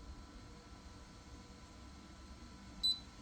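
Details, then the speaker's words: Ryobi RYI1000 1800W power station running a refrigerator, 19 hours into a discharge test: quiet hum, then one short high-pitched beep warning that only 4% battery is left. "beep we've got 4% left now when you hit 10% this thing starts flashing it's nice it's helpful"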